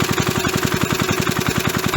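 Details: 37-year-old Briggs & Stratton eight-liner lawn mower engine, first run after about 37 years sitting, set to slow idle: single cylinder thumps along at an even slow beat, about ten pulses a second, no misses or rattles; healthy slow idle.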